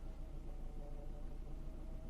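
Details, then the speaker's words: Alfa Romeo 33 at idle after a 2700 km road trip: power steering pump, always a bit whiny, now whines worse with faint knocking and rough sound at low speed; owner may cut the belt if it worsens. "my power steering pump has always been a bit whiny but now it's it's worse i hear some kind of knocking"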